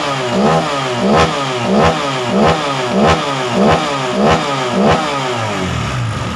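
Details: Honda PCX 150 during a tune-up, revved after the valve adjustment with the air filter off and the CVT not yet cleaned; the complaint was an unstable idle. Crisp, even throttle blips about once a second with no tapping between them; the valve train sounds healthy.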